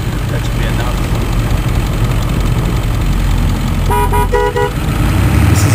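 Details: Warm 2001 Ford 7.3L Powerstroke diesel, mic next to the air cleaner, lifting off throttle after hard acceleration: drone with short chirping squawk bursts, turbo surge by popular consensus; separate hiss came from a compressor housing to X-pipe leak, since fixed.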